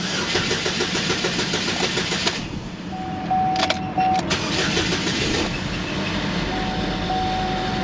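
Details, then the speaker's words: First start after engine reinstallation work, with coolant refilled and a crank relearn still pending: the engine cranks, catches and settles to a steady idle after a brief stumble; expected to run slightly rough until the injectors purge air. "hello hey it runs now that's progress from what it had before"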